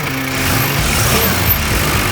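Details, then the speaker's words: Toyota Landcruiser 60 Series after swapping in a replacement engine and gearbox, fresh oil and fuel filter, first start: steady, even diesel idle with a low smooth rumble, no knocks or misses; sounds healthy. "I call that a success. That is smooth as bike."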